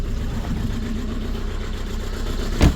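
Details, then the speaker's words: VW Golf 4 TDI diesel at idle: lumpy shaking as if running on three cylinders; injector number 2 suspected poorly powered, possibly wiring harness, before repair. "Ça fait du bruit. Voilà. Donc comme vous avez vu, le moteur il tremble beaucoup."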